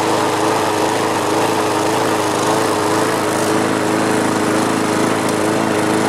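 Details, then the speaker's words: Mower engine after the bent governor spring tab was readjusted to raise rpm: at high speed the pitch keeps wavering instead of holding steady, erratic surging. "so the rpms are back up but i'm going to lower it a little bit but it still sounds pretty erratic doesn't it"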